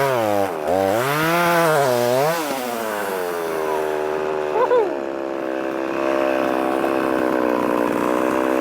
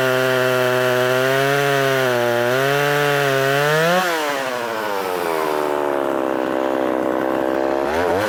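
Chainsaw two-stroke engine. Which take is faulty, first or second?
first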